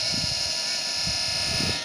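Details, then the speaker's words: Charger power supply of a Like.Bike S10+ electric scooter: a steady high-pitched electrical buzz for about two seconds, then it drops away after the unit is tapped with a finger. Abnormal buzzing, cause unknown. "вот такой вот звук издаёт мой чудный блок питания спустя сри ИТ я пальцем по нему постучал он перестал"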